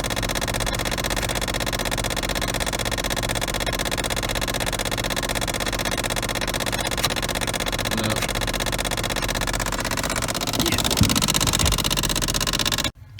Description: The teeth in the gears for the Ac Actuator have worn down causing them to spin without catching causing the clicking sound!